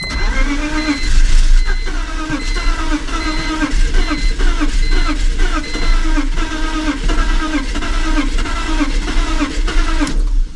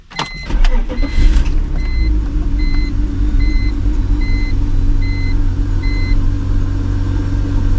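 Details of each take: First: Cheap BMW project car that ran when parked: long, rhythmic cranking with occasional firing that almost catches but never runs, and a fuel smell. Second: BMW project car started with the secondary air system vacuum hose in question: low, even idle under a door chime, running much better than before. Normal idle.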